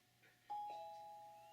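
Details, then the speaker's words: Daisy talking-book player booting up: a single soft two-tone startup chime that fades away; normal startup, though the player then announces it is overdue for a service. "it's just booting up now, so you're going to hear some."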